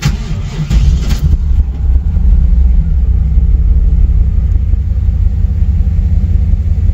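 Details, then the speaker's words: 1996 Trans Am LT1 small-block after crank sensor replacement and clearing codes: brief crank, catches quickly and settles into a steady, deep, even rumble with no misses; healthy start and idle. "Shane, go inside that car and wipe the codes. And then we start it. And you can hear it run."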